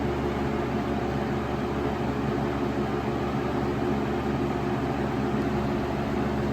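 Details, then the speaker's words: 1996 Lakewood 223 3-speed 20-inch box fan, third-gen, before restoration, on medium speed, a big jump from low: steady even rush of air with a soft low hum, no ticking or wobble; pleasant sound, moving a good amount of air. Normal running. "there the sound is Pleasant to listen to a good amount of a"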